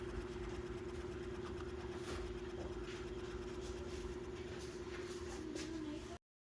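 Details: Fan running very slowly with a steady low hum and wavering tone, even after a brand-new capacitor, running with no capacitor, and oiling. Cause unknown, owner asking for help.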